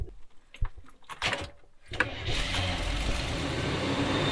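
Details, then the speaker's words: 1970s Coachman Leprechaun motorhome, about 4 gallons of gas added, with the doghouse cover back on; it catches at once and settles into a steady, even idle with no misses. Normal start. "Starts up like a charm."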